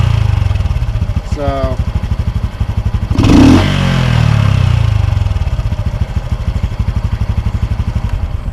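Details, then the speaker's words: Honda Super Cub with K&N and Chimera cold air intake and Dynojet tune: small single fires after a short crank and settles into an even, slightly raspy putter, angrier than stock; healthy. "sounds like an angry weed whacker, but it's a little more angry than a standard would be."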